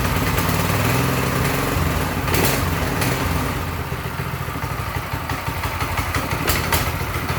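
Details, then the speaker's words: Briggs & Stratton 212 engine on a newly assembled Mega Moto mini bike, about 8 degrees outside: steady even idle with no misfires, then cuts cleanly when the kill switch is used; healthy running. "all right and the kill switch works as it should very good"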